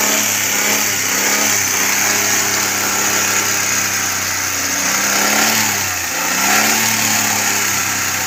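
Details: Suzuki Cultus carbureted engine, warm after a few minutes, with new CDI and Japanese ignition coil fitted for misfire: steady, even idle, smooth hum, one brief dip near six seconds; no skips or stumbles.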